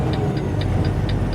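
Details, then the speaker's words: Truck tractor's turn signal hyper-flashing, quick sharp ticks about four per second over a low diesel idle; cause is the left tail light turn signal/brake bulb out on the tractor while the marker light works. "When it does it, when it flashes that quick, it means you got a bulb out somewhere. Well, basically that means you got a turn signal bulb out."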